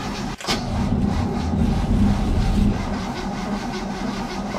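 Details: 1967 Chevy C10 barn-find pickup with a weak battery, choked: slow, uneven cranking with no catch or firing; turns over but never starts. Gas was added to the carburetor afterwards, as the float bowl was thought to be empty.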